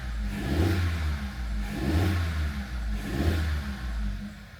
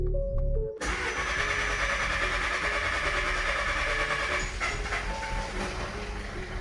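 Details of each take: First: Audi A3 1.4 TFSI petrol after engine swap for bearing knock, first start before coolant fill, EPC light on: idles on its own with gentle swells, no knock or clatter; normal idle. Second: 2015 Audi A3 1.4 TFSI petrol: cranks and catches, then runs rough and won't idle, sounding like a tractor with uneven knocking; low oil pressure warning shown; suspected bearing knock, engine believed done for.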